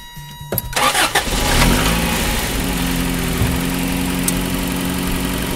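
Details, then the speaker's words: 1988 Toyota 4x4 van, 30 years old, chasing an engine whine by removing one belt at a time, with the water pump belt off: short crank, then a steady idle with no whine; power steering pump ruled out, water pump suspected. "no wine and totally quiet all right so it's not in my engine it's not the power steering pump"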